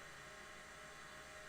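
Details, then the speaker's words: IBM 0665 44 MB MFM full-height 5.25-inch hard drive from the 1980s under test: quiet steady hiss and faint hum with no clicks or scraping, spinning smoothly and working perfectly. "the fact that it is spinning like a little kitten so it's spinning very smoothly"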